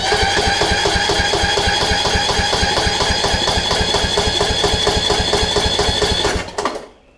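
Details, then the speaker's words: Toro Z5000 zero-turn, Kohler Courage; good spark confirmed, plug installed, water in tank suspected; steady starter cranking about six seconds with no firing; crank no start, fuel lines or bad carburetor suspected. "now we got something going on with uh fuel lines i guess or carburetor could just be a bad carb"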